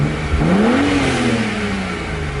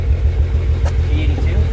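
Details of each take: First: BMW 135i petrol engine, after misfire repair (cylinder 5 misfire code, suspected ignition coil fixed): clean rev climbs smoothly and falls back without stumbles; sounds really good apart from some lifter noise, no check engine light. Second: BMW 135i at low idle with an uneven, lumpy thump and the whole car vibrating; code reader shows a cylinder 5 misfire, traced to a failing ignition coil.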